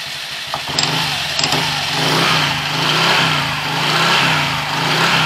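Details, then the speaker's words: Honda Click 125i scooter after CVT cleaning; clutch assembly was very dirty, plate rusted, clutch spring ends marked and near breaking: earlier noise gone, smooth gently wavering drone with faint belt whistle, blamed on belt design; belt still due for replacement. "Natanggal na yung maingay niya. Pero yung ano natin, palitin pa yung, yung belt. Medyo may sipol ng konti dahil sa design ng belt na yan."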